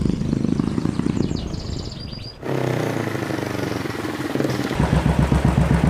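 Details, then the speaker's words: Royal Enfield Classic 500 fuel-injected, which stalled several times on the road and backfires on deceleration with MIL lit: slow uneven thumping idle about four beats a second, sagging as if ready to stall; idle speed set too low, to be adjusted via diagnostic tool. "Kemarin pas dicoba itu beberapa kali mati di jalan. Jadi langsamnya kayak kekecilan."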